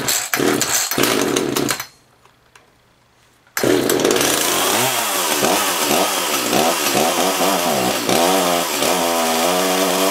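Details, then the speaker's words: Echo CS-330T top-handle chainsaw, unused for years: revs up and falls back unevenly, clearer throat but still rough; old gas suspected, fuel to be changed. "sounds better it's got a clearer throat but it might be old gas"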